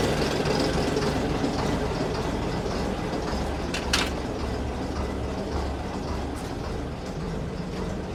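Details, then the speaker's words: AEC Matador 7.7 litre diesel warm after about an hour running, idle and regulator adjusted following injection pump and injector overhaul; even low rumble, steady beat, no knocks, considerably smoother than before, slightly smoky; normal idle. "I've um set the idle to where I think it should be and the regulator and he is sounding considerably smoother than he used to."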